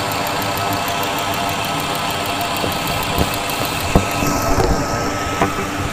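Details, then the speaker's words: 2000 Ford F-250 SD 5.4 L (330 CI) at idle, microphone in a PEX-pipe stethoscope on a fuel injector: crisp, regular clicking over a quiet idle, with some probe scraping later. The truck has an intermittent rough idle and a miss, but the injector opens and closes normally. "Okay, so all of the injectors do sound similar. You can hear a distinct ticking."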